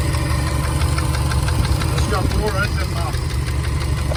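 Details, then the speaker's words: 2013 Subaru WRX STi, 76,021 miles, at idle: steady idle with an obvious dull, fairly quick knock from the lower part of the engine; bottom-end knock, cause unknown. "you could hear an obvious knock from the lower part of the motor and it was sold with a green light"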